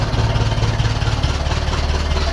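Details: 1951 Ferguson tractor after thermostat housing replacement while the throttle linkage is set up: steady low chugging with even firing and a slight throttle blip midway; smooth, healthy running, not leaking, temperature gauge working.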